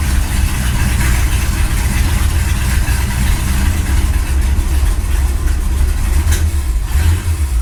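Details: Ford Galaxie 500 V8 on first start after restoration, third attempt after belt tightened; loud uneven lumpy rumble with one sharp pop; suspected excess fuel, leaking carburetor or floats too high, unconfirmed: rough running on first start.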